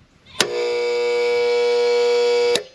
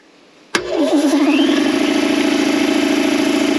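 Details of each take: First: Air compressor with plenty of oil switched on briefly: loud steady buzzing hum for about two seconds with no spin-up, motor won't turn. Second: Air compressor that had only hummed, after a dirt dauber nest jamming the motor was cleared: starts cleanly and settles into a steady, even hum with a slight pulsing beat; running normally.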